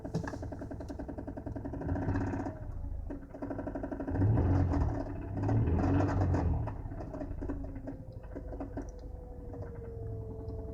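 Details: Mazda Xedos 9, heard clearly inside the cabin with revs steady: rapid, fairly regular tapping that continues as revs are blipped up and back down; engine knock of unknown origin.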